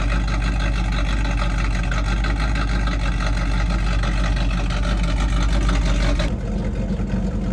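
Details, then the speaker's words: Pontiac Trans Am (Firebird) V8 after DIY Hooker exhaust install, electronic cutout not yet hooked up: deep, even rumble, much quieter, steady and not harsh, no rattles or leaks; normal exhaust note. "There it is, 6 minutes later, it's on. It sounds pretty good. It's much quieter. I like it."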